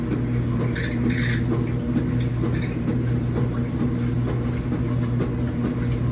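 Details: Speed Queen washer motor hum with loud, high chirping screech and squeal from the belt and idler pulley; fixed by installing a new belt and idler pulley.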